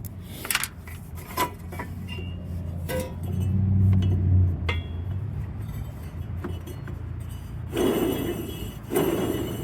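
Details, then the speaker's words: Yard Machines MTD riding mower, deck belt removed, spindle spun by hand: uneven rough rumble with dry clinks; bad spindle bearing, middle one also bad, rebuild kit being considered. "Let's take the belt off because I want to see what's making the noise, that bearing noise. Let's put the camera down for this. Alright. So now let's spin this one. Yeah, that's a bad bearing."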